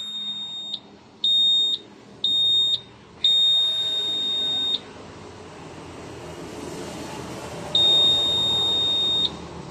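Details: Used motorcycle ECU fitted after the original failed, not connected with the remote/SCU: high sharp beeps in short bursts about once a second, then a longer tone, the immobilizer alarm because the ECU key ID isn't synced and must be reset.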